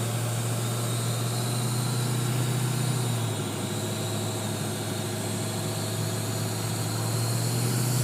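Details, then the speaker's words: Ford 6.0 Powerstroke diesel idling after a new oil cooler install: a constant airy turbo whoosh and high whine. Boost is normal, intercooler clamps were retightened, and the noise stops when the VGT plug is unplugged; owner suspects an air leak, source unfound. "Emily sounds like a turbo intake issue I can hear the high whining of my turbo like it used to be there's also that air so it's got to be air getting out somewhere"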